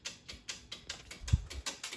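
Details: 6-zone Argo boiler switching relay chattering: rapid uneven clicking about four to five a second with a thump midway, heard while the zone valve end switch is pushed in; traced to a faulty zone valve end switch.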